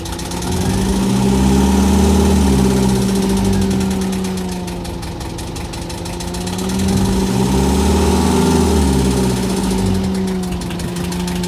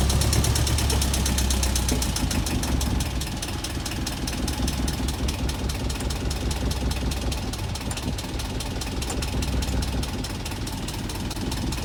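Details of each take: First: Boat diesel idling after the fuel line air leak was fixed and the system purged through the return line: even idle about four beats a second, gently swelling and settling without missing or stumbling; ran over 20 minutes without a hiccup. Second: Boat diesel after bleeding the fuel system, exhaust water flowing: uneven, loping chug around two beats a second that wavers before stalling; air still getting into the fuel line and starving it, owner to bleed again.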